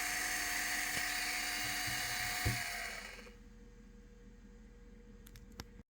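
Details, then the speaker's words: Litter Robot 3 drive motor with lost lubrication on dry first and second gear reduction shafts: high buzzy whir with rattle-squeal chatter, vanishing under load, then a clunk at shutdown; fix is greasing the shafts. "you listen carefully you'll hear it chattering kind of a way I describe it as a a rattle squeal if you put it under load it disappears"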